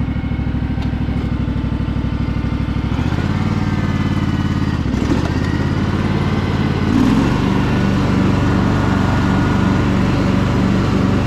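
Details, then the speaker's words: Craftsman DLT3000 lawn tractor with a factory Honda 16.5 hp engine, test run after the repair (oil checked, water purged from the fuel): a steady low drone that steps up in speed twice and holds each level smoothly, with no knocking or surging. "this thing is super nice guys really really nice tractor everything on it is really clean it's just that tiny little bit of surface rust but thing sounds awesome"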